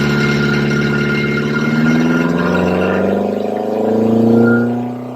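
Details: Ford Crossflow engine on a dyno with twin 40 DCOE carbs, Kent 224 cam, Vulcan head, testing 39 vs 55mm ram pipe lengths; hard pull, deep note climbing smoothly in pitch under load, no misfire, knock or stumble; healthy.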